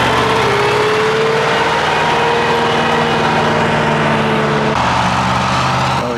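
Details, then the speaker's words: 1979 Ford LNT9000 with Cummins V8 diesel, first start after sitting: loud idle wavering and dipping unevenly, hunting surge; owner suspects air from low fuel tank or blocked fuel filters, unconfirmed; engine surging. "Running out of brake air, or it's still surging in the fuel system. Those filters are probably that blocked sitting around."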